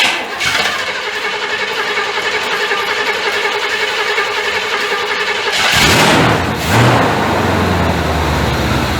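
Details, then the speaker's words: 1985 Chevrolet C30 gas-swapped engine, cold start on fast idle: catches after a short crank and holds a steady, slightly high idle with no misses, knocks or smoke; normal fast idle. "Oh yeah, ain't no smoke coming out the back. She's idled up a little high. It's on the fast idle right now."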